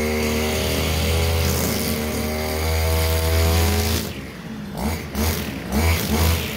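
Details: Stihl FS230 brushcutter, warmed up, cutting grass in a stall test: high two-stroke buzz holding steady, then dipping and recovering in bursts as it bites into grass without stalling; healthy, normal running under load.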